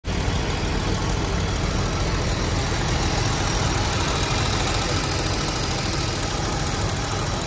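A fast, light tick rides over an otherwise steady idle; it sounds like the valvetrain, possibly a lifter, though that isn't confirmed.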